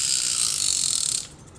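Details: Japanese-market fishing reel: fast, even, high-pitched ratcheting clicks while the spool turns, stopping cleanly; the reel's clicker working as it should.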